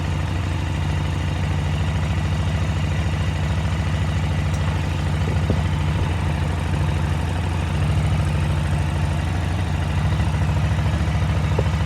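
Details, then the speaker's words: KTM 950 twin-carburettor motorcycle at idle after adjusting until both carbs read about 10 on airflow: a steady, even low V-twin thump with no hunting or stumble; the carburettors are now balanced. "you'll hear how the bike kind of balanced out as i got close to 10"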